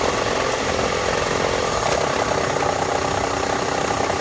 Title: 2000 Toyota RAV4 rattle / tick / knock sound?